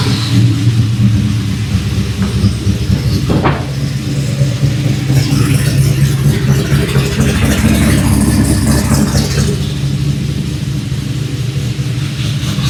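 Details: LS V8 cold start after a week sitting, after installing Brian Tooley Racing die-cast valve covers with coil brackets: steady, even idle with a deep lumpy burble, no skips or ticks; all eight cylinders firing.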